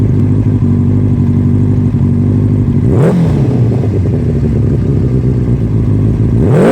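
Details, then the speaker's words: 1996 Suzuki Katana 600 project bike: steady even idle with two clean, quick revs that rise and settle smoothly, no clatter or misses; it starts up and runs really good. Normal running. "but it starts up runs really good we'll get some running footage of it"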